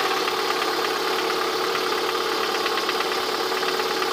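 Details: Lada 21126 engine at steady idle with a dull, slightly uneven knocking, heard most clearly near the end of the recording; the owner asks what the sound is, cause unknown.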